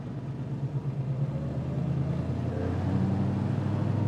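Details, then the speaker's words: 1966 Ford Mustang fastback, 289 V8, mechanically restored after 33 years in a barn, on a test drive. Deep, even burble pulling smoothly under light throttle, no misses or knocks; healthy engine and exhaust. "This thing has a fantastic exhaust system. It sounds really, really good."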